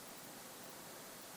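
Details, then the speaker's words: Noctua NH-L9x65 cooler fan locked at 30% speed in Nouvolo Steck V2 case with i7-13700K, side mesh panel removed: only soft even airy hiss, no hum, tick or rattle; normal fan airflow noise, mesh adds noise. "so the closer the mesh is to the fan the louder this thing gets and listen now when I remove the panel"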